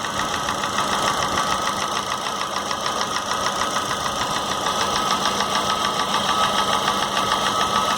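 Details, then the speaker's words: Corsa with Montana front: sharp, light tapping at about 200 a minute over a steady idle, heard at the cylinder head. It first seemed lower down, but it sounds like the camshaft rather than the exhaust manifold; it is being checked with vacuum transducers at the oil dipstick. "o barulho aqui no cabeçote não parece muito barulho de tubos coleta mais barulho de comando né"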